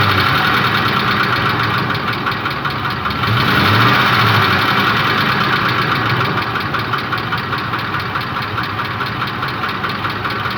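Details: Ford Triton 5.4 3V at steady idle with an even tapping, about four knocks a second; heard with the solenoid connectors refitted after a test unplugging them, no audible difference by ear; knock source unknown.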